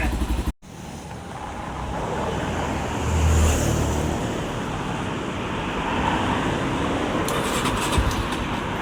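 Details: Thai Phantom 200 single-cylinder after a rebuild: leaking valve fixed, piston and rings replaced, cylinder bored, valves, cam chain, rocker and front sprocket replaced. Steady quick thumping beat, revs cleanly with no tapping or rattle; normal running.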